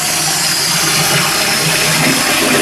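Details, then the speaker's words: Toilet cistern refilling after flush, after replacing the float valve's 32mm diaphragm washer that caused months of loud noise: only a smooth, steady rush of water filling up, no hum, whistle or hammering; quiet normal refill. "There you go, no noise at all. All you can hear is the water filling up."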